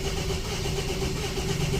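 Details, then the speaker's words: Mercedes-Benz S280 W140 with both remote keys not working: the starter cranks steadily but the engine never catches because the remote immobilizer cuts the start. The remotes are to be repaired. "นี้คืออาการสตาร์ทไม่ติดเพราะว่ารีโมทมันตัดนะครับ"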